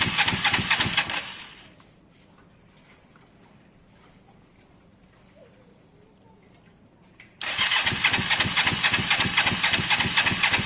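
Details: Kawasaki ER5 twin, spark and fuel present, plugs only hand tight: two long bursts of fast, even cranking, about four turns a second, never firing; owner suspects caked spark plugs needing cleaning or replacement, unconfirmed. Crank no start.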